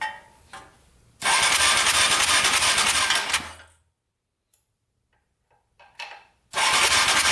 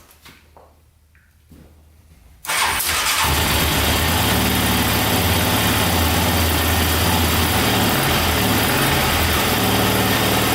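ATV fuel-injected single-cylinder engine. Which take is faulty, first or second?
first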